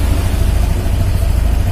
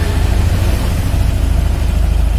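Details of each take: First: All New Scoopy scooter, new bike, idle RPM deliberately left set too high: quick, even buzzing idle noticeably faster than normal, sounding a bit odd; wrong RPM setting causes complaints, ignition timing must be correct. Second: Honda All New Scoopy scooter, new bike not reset, idle RPM just corrected (set around 1400 gives ignition advance about 12–14): steady low putter with even beat, no knocks or misses; normal smooth idle.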